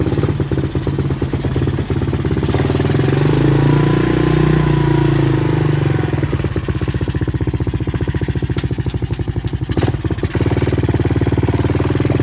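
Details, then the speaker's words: 1986 Honda TRX200SX single-cylinder quad, neglected, newly revived, running on reserve fuel: blips up, then settles to a quick steady beat clearly faster than normal; idle set too high and needs turning down. "now it's been running the idols up quite a bit so i could probably turn it back down"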